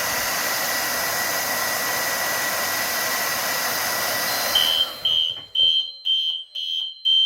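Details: Fire alarm system test, Spectralert Classic on march-time: steady hiss cuts off, then a shrill horn pulses in even bursts about twice a second; the normal march-time alarm is working properly.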